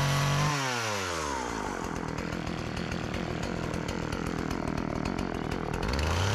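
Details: Old Partner 405 two-stroke chainsaw, repaired of stalling on throttle, sharpened chain, just refuelled after running out of gasoline, cutting very hard almond wood. Drops from high rev into a steady cutting buzz, then revs back up cleanly. It cuts well.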